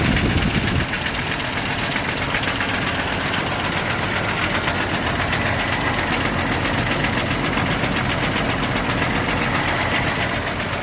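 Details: 1998 Jeep Wrangler TJ, Summit Racing 4.7L stroker, reportedly 50k miles, pistons replaced but not wrist pins, just after start-up: busy uneven metallic rattle about four a second; owner suspects wrist pin or piston slap, unconfirmed.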